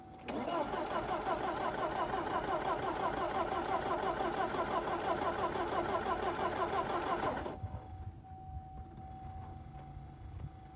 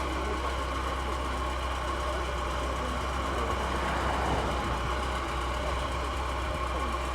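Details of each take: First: 1985 Porsche 944 that sat unused since 1998, first start attempt after fuel pump check: starter cranks steadily at about three beats per second for seven seconds but never catches; crank no start, spark initially doubted, later confirmed present. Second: Porsche 944 petrol, first start after sitting since the late 1990s: engine idles smoothly with a steady low rumble and even, unbroken beat, sounding healthy; normal idle.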